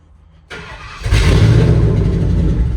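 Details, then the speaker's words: Box truck that sat about 5 years, cranking then starting: loud, raw, deep roar through an open exhaust because the catalytic converter was stolen; loud exhaust from missing catalytic converter. "Swipe her it three times, guys. It's going to be loud cuz the cat was stolen."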